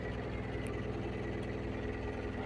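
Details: Mahindra Supro BS6 diesel just started after SCR/DEF level reset cleared start-denied dose-malfunction codes P2BAF-00, P2BA7-68 (50 km range): steady, even idle with a low, regular beat, no knocks or misses; running normally.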